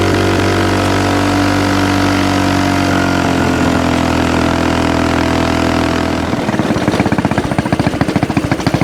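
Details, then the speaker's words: Axis/Coleman M200 mini bike, 196cc single-cylinder, 22mm Mikuni VM22 carb, aftermarket exhaust, governor delete, riding at about 30 mph: steady pull breaks into choppy, uneven stuttering as revs climb, cutting out at mid-to-high RPM; owner considers a 120 jet. "And uh it definitely feels like it is just cutting out at uh mid to higher RPM, so we may end up just going ahead and putting that 120 jet in there."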